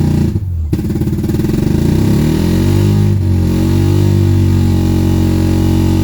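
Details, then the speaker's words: 1984 Mazda RX-7 GSL after swapping in a used rotary engine with better compression; it catches and runs rough and lopsided on one rotor, with the rear carburetor fuel bowl suspected of getting no fuel. "so okay got the swap done on the gsl it's having some carburetor issues so unfortunately it is running on one rotor best i can tell it's not getting fuel in the rear fuel bowl so we'll need to figure that out"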